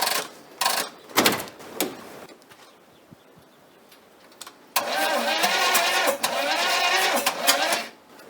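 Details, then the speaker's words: 1980 Chevy Monte Carlo, sat for an unknown time, no carburetor fitted, old oil, gas poured down the intake, cold weather: cranks in uneven bursts with weak catches but never runs; timing suspected off, not confirmed. "that sounds like timing's off we're gonna have to look at that"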